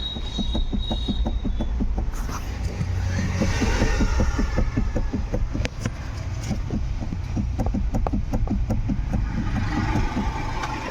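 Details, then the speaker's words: Ford EcoSport, steering rack already replaced, sound recorded at the steering column: irregular sharp knocks and clicks, a couple per second, over low rumble; knock from inside the steering column, to be opened and repaired. "ये जो आवाज है column के अंदर है और उसकी वजह से य आवाज आ रहा है"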